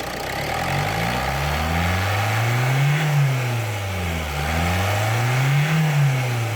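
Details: Ford Mondeo Mk4 1.8 diesel with P2263 boost fault and limp mode, after carbon cleaning, revved: spins up smoothly through even blips and settles back without stumbling; fault reset itself, runs healthy.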